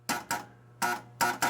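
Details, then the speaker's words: Pinball machine with four players loaded: ball crosses a 100-point rollover, one chime, then no score reel movement. A steady low hum runs under the ball clacks with no chimes or reel stepping; a scoring relay is stuck on. "You heard a chime, but after that there was nothing, and you probably couldn't hear it on the video, but there was a hum of a relay that was stuck on."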